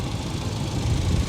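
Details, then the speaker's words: Salvage-auction car with low coolant, idling after reaching operating temperature. A low, steady, settled idle with no knocks or rattles; not believed overheated: normal warm idle. "I don't think she overheated or anything now she's coming down a little bit now she's slowing down she just had to reach operating temperature I"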